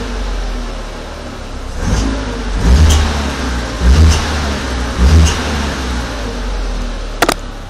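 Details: VW Passat 1.8T, cold engine: rough crunchy rasp like a burned flex pipe on each of three revs, from the back of the engine, possibly near turbo/combi valve; only cold and under load, gone at 70-80°; power loss, secondary air fault code.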